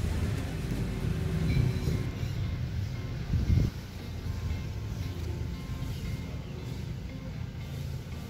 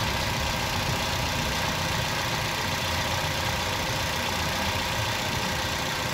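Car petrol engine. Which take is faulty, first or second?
second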